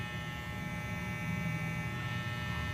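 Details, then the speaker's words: Wahl Super Taper hair clipper after repair of plastic part that softened when hot and made it noisy and loose: steady low electric hum, light even buzz, no rattle; runs smoothly and quietly. "Pagmamasa ko, paandarin ko siya ng mga 5 minuto guys para ma-testing natin kung init pa ba siya. Suwabing na andar guys."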